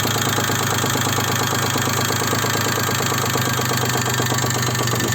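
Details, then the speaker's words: Daewoo Matiz 0.8 engine with distributor set to the timing mark: fast regular tapping over steady idle that never goes away and persists across the distributor's adjustment range; engine knock of unknown origin. "Стук. Мне непонятно, откуда стук. Прислушайтесь. Он вообще никогда не пропадает."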